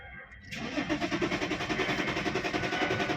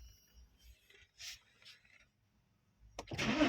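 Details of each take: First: 2010 BMW E60 3.5 diesel (285 hp), errors 6292/6293: the starter cranks steadily at about 3.5 pulses a second but never fires, because the fuel pump is not running (wires disconnected). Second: 2010 BMW E60 3.5 diesel, 285 hp, cranks but won't start when hot (errors 6292/6293): with a bypass connection a faint pump whir is heard, then a brief crank and the engine catches cleanly; normal start.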